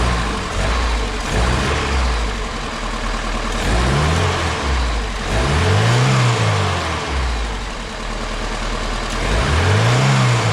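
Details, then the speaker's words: Engine started after installing a new electric universal fuel pump in place of the old mechanical one; the new pump holds about 7 psi and pushes fuel. The V8 idles evenly with a few clean throttle blips that rise and fall smoothly, sounding healthy. "Let me crank it and see what happens here. That was easy. Sounds pretty happy, but"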